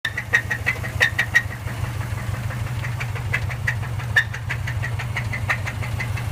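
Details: Subaru Forester SF5 engine: sharp ticking knocks, about three per second but uneven, over a low idle rumble; engine knock with no clear cause yet.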